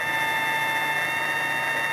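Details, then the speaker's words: Zero Fossil Fuel constant-current PWM clone controller driving a cooling fan motor, at low setting: steady thin high whine with nothing knocking or grinding underneath, the switching frequency heard, rising as speed is turned up; normal PWM noise. "so that's what you're hearing is the amount of time that it's switching on and off in a given amount of time"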